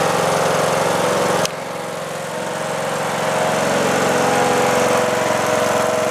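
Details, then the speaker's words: Replacement single-cylinder engine in a John Deere D110 lawn tractor, after an engine swap for a blown engine, running about 10 minutes: smooth, even idle with a steady pitch, no knocks or misses; owner may adjust valves for slight noise; normal idle. "Gave us a little puff of smoke at startup, but it's not smoking now. I'm really pleased. The engine sounds good."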